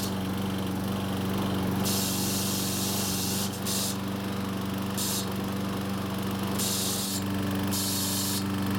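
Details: Troy-Bilt overhead-valve walk-behind mower running in fourth gear: steady small-engine drone with harsh, uneven bursts of metallic chatter; the terrible chattering turned out to be the recoil starter, with compression and valve lash checked and found fine.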